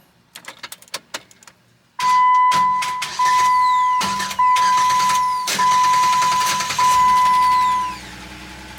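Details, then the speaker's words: 2007 Jeep Wrangler JKU, intermittent starting, battery good and starter already replaced: starter whirs in short bursts that stop abruptly mid-turn; faulty ignition switch suspected. "It sounds like it's got full power, the battery's good. The starter sounds like it's engaging, and it is. It's trying to turn over, but then it just stops midway."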